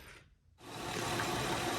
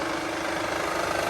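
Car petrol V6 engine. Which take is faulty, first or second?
second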